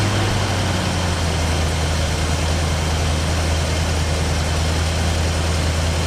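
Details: 1968 Mustang 289 V8, first start after sitting 30 years: steady, even low rumble with no knocks or misses; smooth healthy idle, oil pressure good.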